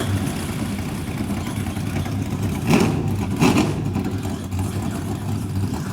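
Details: Brad Keselowski's 2011 Penske Dodge Charger NASCAR stock car V8 just after cranking to build oil pressure: a deep, lumpy idle with two sharp throttle blips that settle back evenly. It runs clean and healthy.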